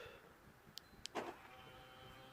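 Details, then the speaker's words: 2012 Ford Focus Mk3 diesel with remote that only unlocked: with a new key, door and boot actuators tick then clunk as car and boot unlock normally; fault was the old key, central locking works properly. "and the car unlocks, and the boot. I don't know if you heard. If you haven't, I will show you. And the boot is unlocked."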